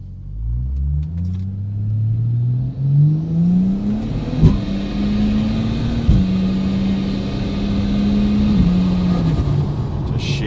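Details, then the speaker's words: Car automatic transmission after fresh fluid at the correct level and shift tuning to firm up shifts; hard full-throttle road test, engine pitch climbs then drops sharply at each quick snapping DSG-like change. Normal firm shifts. "So, I don't know if you can hear in the audio, but it's just bang bang bang. It's like DSG if you've driven DSG gearboxes, and they just like snap."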